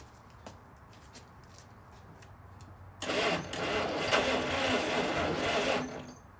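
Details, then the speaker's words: 1953 Kaiser Dragon, start attempts after sitting since the 1970s: starter churns about three seconds at roughly three strokes a second and sags without catching; slow cranking from a dying battery. "batter's dying out again"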